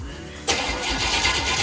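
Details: Chevy 350 small-block, bound for an S10, first start after sitting for years: starter spins the engine with a sudden loud churning but no cylinders catch; cranks without firing, later started after adding gas and spark.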